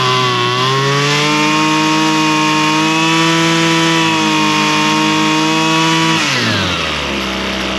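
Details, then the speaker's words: Husqvarna straight-shaft string trimmer, two-stroke, after carburetor high and low screw adjustment (likely long unused, diaphragm suspected snug); high clean buzz steady at speed, then drops smoothly to idle. Normal running. "And I think that's really about all it's going to take. It's It's running pretty good."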